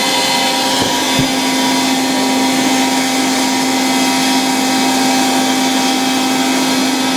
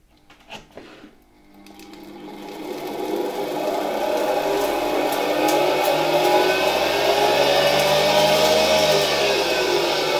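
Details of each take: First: 1960 Polish Alfa II vacuum cleaner with an SK-5 motor, run briefly on mains power despite very worn motor brushes. Switch clicks, then a steady, even motor hum and airflow rush with no rattles or surging; good suction. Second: Bare SK-5 motor from a 1960 Alfa II vacuum cleaner, run on the bench through a regulator at reduced voltage; spins up to a steady whine with a faint rough hum from tired bearings and a noisy turbine. Motor works; worn brushes to be replaced later.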